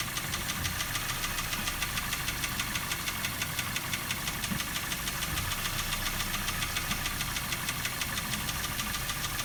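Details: Daihatsu Terios 1.5 brought in for diagnosis with engine knock: sharp, regular metallic ticking knock over a steady idle, clear above the engine note; source unknown, valve clearance check planned first.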